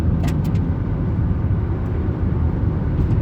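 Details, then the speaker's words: 1999 Mazda Protege driving after mass airflow sensor cleaning, previous hesitation gone; steady low engine hum with road rumble and no stumble or surging, running smooth. "running pretty smooth ah uneven road all right feeling good so far"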